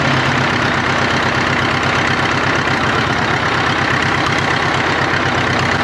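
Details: 1939 Caterpillar D4 crawler, D4400 diesel, first run after rebuild, started by pony motor, near a mile altitude: steady idle about 170 beats a minute with uneven stumbling rhythm; engine has a miss, fuel leaks present.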